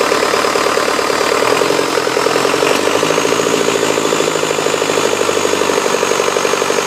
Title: 2006 4 5b cummins just after rebuild